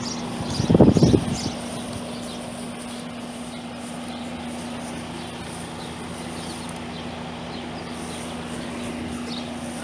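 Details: Trane AC condenser installed a year earlier, not cooling; only the condenser fan drones with a low hum and the compressor fails to start, fixed by replacing the failed capacitor and adding a booster.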